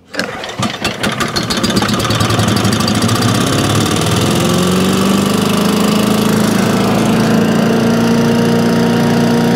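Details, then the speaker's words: Small single-cylinder engine on a home-grade wood chipper/shredder saved from the dump, not yet serviced, spark plug looks good: it catches after a few pulls and settles into a steady, even, fat-sounding run with no knocks or misses. "this one runs it will have a service before it goes out anywhere in fact it's a fat sound"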